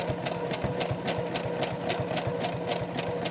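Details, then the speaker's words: Brother CS-6000i computerized sewing machine, stitch width 5.5, length 0.1: fast steady needle clatter over motor hum, runs fine but fabric feeds backwards instead of forward; cause unconfirmed. "Why is it going backwards doing that? That's not supposed to do that. It's supposed to go forward."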